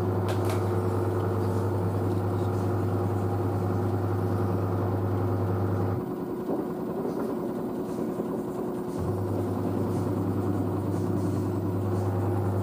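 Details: New washer dryer spinning at 600 rpm after a pre-spin: a steady low hum with an even, smooth run and no knocking or banging. It is quiet; the front panel flexes slightly but the machine stays stable. Normal spin cycle.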